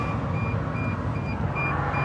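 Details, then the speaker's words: Truck with fleet-installed Smart-Idle system that keeps malfunctioning, batteries at 10, won't start: high sharp beeps two to three times a second over a low rumble; low battery alarm, needs a jump. "this time uh my batteries are at 10 so yeah I uh it's panicking because it needs a jum"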